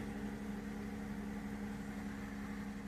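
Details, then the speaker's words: 2009 Lexus ES 350 V6, about 184,000 miles, impound-auction buy on a new battery, with tire, ABS, brake and engine lights on: steady, even idle hum, smooth low drone, no knocks, misses or noises; normal idle. "Yeah, see it's idling fine. I don't hear any kind of noises, miss"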